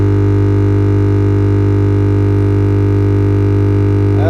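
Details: Simbada CTS 10500 powered speaker hums loudly at switch-on; asymmetric supply rails (about 10 V vs 5 V) traced to a dried-out main filter capacitor, not the amplifier IC.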